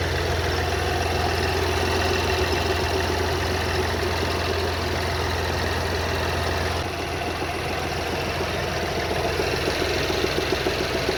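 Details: BMW X1 F48 xDrive 25E, 125 HP B38 three-cylinder petrol, cold idle: loud dull non-metallic knocking from rear of engine, also heard inside, quieter when warm. Cause unknown.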